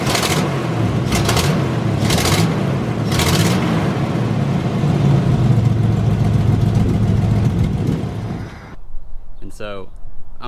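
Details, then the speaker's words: Jeep 4.0 engine running with a sharp, uneven ticking puff over the exhaust, about three or four a second; a cracked exhaust header leaking, a common 4.0 problem. "one of the annoying problems with the 4.0 is the header crack which sounds like this"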